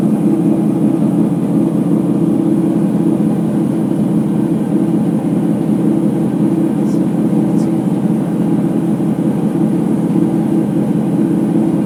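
Continuous deep rumbling roar at high spin speed with a hollow drone underneath; worn drum bearings.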